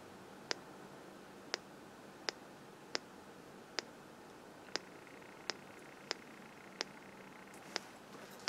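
Near silence with faint sharp ticks at irregular intervals of roughly one second and no buzz; the detector is correctly set at threshold.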